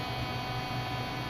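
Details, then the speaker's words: Mazda 626 new replacement fuel pump running after fuel tank reinstall: constant buzzing hum with steady mid-pitched whine, louder than the old pump; fuel pressure 44 psi, holding about 23 psi; owner unsure if normal, fears high resistance. "i am a little concerned with how loud that that noise was coming from the fuel pump and i'll engage it and let you hear that come out here hear how loud that is not sure if that's normal"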